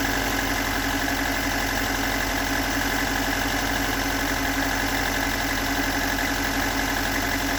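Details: Stock unmodified bigport blue-top 4AGE in a Toyota AE86, about 195,000 km on the swapped clock, regularly maintained: uneven rough idle with light irregular tapping knock about four per second; owner cannot locate the cause.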